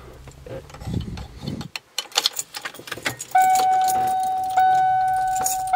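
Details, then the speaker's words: 2004 Itasca RV on Ford E450 6.8L after new spark plugs, ignition coils and air filter: keys rattle, then a short crank and the engine catches into a steady, even idle with no miss or stumble. Sounds much better than before. "so it sounds much better than it did before I did all this for about a hundred bucks from the air filter spark plugs and ignition coils"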